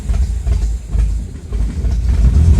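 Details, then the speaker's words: 1975 MGB that sat about 16 years, first start after a carburetor leak fix and overnight battery charge, no clutch: low lumpy engine beat swells and sags unevenly, misfiring; she's not running well, rough running. "she she's not running well"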